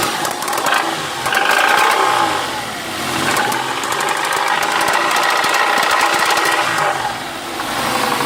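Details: Ford Mondeo ST220 with the 3.0 V6 24v engine: irregular sharp knocks over the running engine that continue as revs rise and fall; source unknown.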